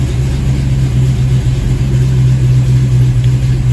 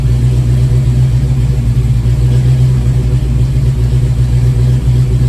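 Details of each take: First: '87 GT with hot crank-no-start and surging idle, IAC suspected; cold start catches within seconds and settles to a smooth, steady idle of about 900 rpm (previously 750), air-fuel near 14.7: normal cold start idle. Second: 1987 Mustang GT V8 with a crank/no-start-when-warm issue, warm restart: starts fairly easily, deep idle with a brief slight surge lasting a couple of seconds. Improved over before.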